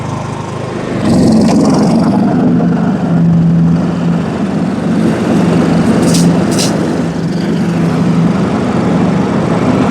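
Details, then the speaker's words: John Deere riding mower, Kohler Command engine, after fitting a replacement anti-backfire solenoid (original stuck from bad gas; cheap aftermarket carb had flooded it): even, steady low hum with no surging or hunting; runs smoothly. "Close enough, we can try it out. Sounds better now."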